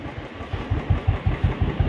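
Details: Royal Enfield Standard 350 that died while riding, starting fault traced to a blown fuse; after the fuse fix it starts on one kick, single-cylinder thump settling to an even beat about five a second, normal idle.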